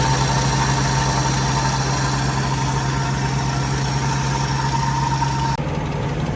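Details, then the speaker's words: Mercedes W124 E420 M113 V8 at cold-start idle: loud steady whir from the secondary air (smoke) pump that cuts out abruptly, normal; owner separately suspects a water pump bearing noise. "right, smoke pump just went off. You can hear. Crazy how loud that thing is."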